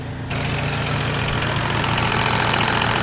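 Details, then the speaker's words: Peugeot 308 GTi after repair of its Valvetronic variable valve lift fault: a brief loud hiccup at startup, then a steady, even, smooth idle with a low constant hum and no misfire or knocking. "So we're running. I had a bit of a hiccup. The idle is so smooth now."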